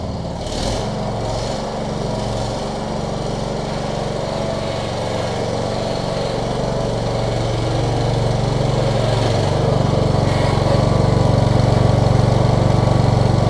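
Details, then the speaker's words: Toro Z5000 Kohler Courage engine after the tight intake valve was adjusted and the choke set: a steady, even single-cylinder drone that picks up slightly toward the end. Running great; slight smoke, owner suspects oil overfill or oil in the muffler. "well guys it didn't occur to me that i probably haven't or this thing probably ain't been running a while and just maybe had some oil build up in the muffler it's running great now though"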